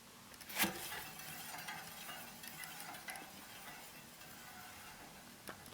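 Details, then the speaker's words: Bicycle mechanical disc brake, wheel spun by hand; faint hissy scrape and light rubbing as the slightly wobbling rotor sits off-centre and grinds against the pads, before adjusting the calipers with a 6mm hex wrench. "But worse than that, you can actually hear the you can actually hear the grinding pretty well."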